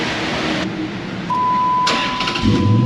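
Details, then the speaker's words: Vehicle after new battery installed: brief brisk crank that catches almost at once and settles into strong run; normal fast cranking. "right you hear that thing thought it was going to spin the motor ride out of the car that was quick and easy"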